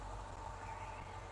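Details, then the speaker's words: 1950 Chevy truck idling right after a power steering pump swap and belt fitted (alignment slightly off), system bled: steady low idle, no belt squeal or chirp, no leaks seen. Quiet drive belt at idle. "steering works and doesn't no noise nothing weird so yeah"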